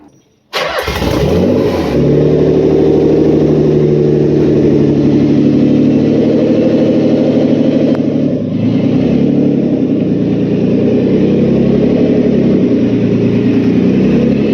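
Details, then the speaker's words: JDM 1989 or 1990 Nissan 300ZX twin turbo, manual, right-hand drive, ex-track car, cold winter night: engine cranks and catches, then runs rough with a dull, uneven, bad rod knock under its low drone. "She don't sound good, but she survived. So the engine knocks, hey? Yeah. Badly. For real bad."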